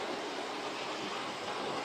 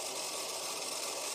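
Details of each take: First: 30-year-old Hornby Class 37 model locomotive, three-pole ring field motor, after servicing and hardwired DCC decoder, runs forward and reverse with steady even whirr and light rail clatter, no stutter; normal running. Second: 30-year-old Hornby Class 37 model locomotive with three-pole ring field motor, motor bogie on a rolling road after wheel cleaning: thin steady high-pitched whir with hiss, running better than before but still rough and noisy; oiling of moving parts planned next.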